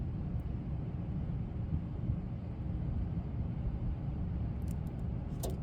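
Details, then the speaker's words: Furnace reported as noisy, blower run by jumping the green 24 V fan wire: steady low whooshing rumble at an even level with no scraping, squeal or rattle; normal blower, noise later traced to a grille. "el abanico prende el ventilador prende automáticamente no oo nada fuera lo normal de verdad no oigo nada"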